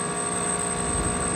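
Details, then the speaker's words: Trane Varitrac rooftop unit, circuit two compressor running; circuit one compressor would not start. Loud, rough, unsteady rumble under a steady hum and a high whistle, badly worn sound but working. Noisy compressor. "sounds absolutely horrible but it works"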